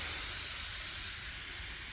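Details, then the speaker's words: Rear tire with two nails: steady, loud, high, hissy rush of air escaping through the nail hole as the nail is removed, before reaming and plugging; tire puncture air leak. "And we should hear a lot of air coming out as soon as we remove this this nail."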